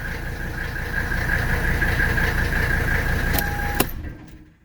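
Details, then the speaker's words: 1985 Mercedes 300D (W123) diesel after service with new filters: even idle clatter, then shuts off within about a second with no run-on, showing a very healthy vacuum shutoff system. "that engine shut off is quick see how quick that engine shut off that's a super healthy vacuum system"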